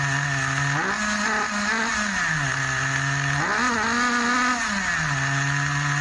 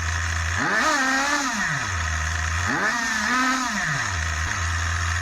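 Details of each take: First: Schumacher XTR21 RC car's Pro21R nitro engine being tuned; revs rise and fall between two speeds with a muffled, burbly top end: still running rich, high-speed needle needs leaning. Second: Schumacher XTR21 RC nitro car, Pro21R engine after over 3 hours of tuning, probably still slightly rich: the tiny engine snaps from a buzzy idle up to a high scream and back twice, revving crisply with no bogging. Clean revving.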